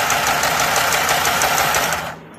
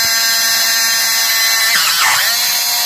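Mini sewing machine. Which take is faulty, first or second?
second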